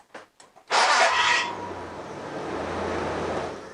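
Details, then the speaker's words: 1999 Holden Jackaroo 3.5 L, newly fitted starter motor: sharp metallic grinding burst as the starter engages, then the engine catches and idles; wrong pinion-to-drive-plate engagement measurement, supplier suggests shimming the starter to pull the pinion away. "yes it started the vehicle fine no issues there but that sound is not good that is an engagement issue where the pinion goes into the drive plate the measurement there is wrong"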